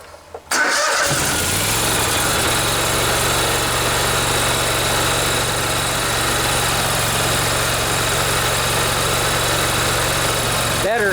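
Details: Kohler Command 20 hp V-twin sewer-jetter engine, carburetor repaired, restarted after excess oil was drained (overfilled oil had blown smoke out the muffler): cranks briefly, catches, settles to a steady even idle, no misses or knocks; running normally.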